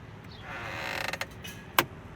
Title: Fisker Ocean One Dash Clicking Noise when Car Initially Starts Up